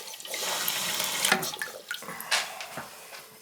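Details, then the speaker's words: Toilet, possibly 1.6 or 3.5 gallon, being checked for leaks: water hisses and trickles into the tank, then fades to quiet as the fill valve shuts off. The refill ends cleanly with no running, so the fill valve is working normally. "Yeah, so she shut off. Yeah, I don't hear anything. She filled up and shut off."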